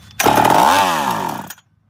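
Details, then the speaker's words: Chainsaw with a sticky carb butterfly and leaking fuel tank bursts to high revs, pitch bends down, then dies after about a second; starts and idles on prime but won't draw its own fuel, possibly flooded, throttle linkage catching. "to keep trying it with a prime starts running and Idols all right but I got to get it to start sucking its own Fuel"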